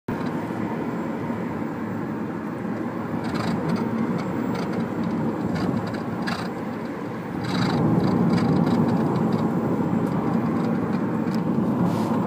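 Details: Mitsubishi Lancer EX driving over the road surface: irregular light clatters and knocks cut through steady road rumble, abnormal noise from the suspension; suspected suspension rattle, not confirmed.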